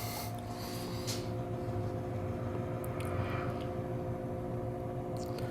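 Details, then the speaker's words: Samsung-branded Chinese window air conditioner, dumpster find, first power-up on fan mode: steady low motor hum with only faint, lazy airflow; fan runs very slowly without excessive current draw. "okay we got definitely got a weak fan that's for sure"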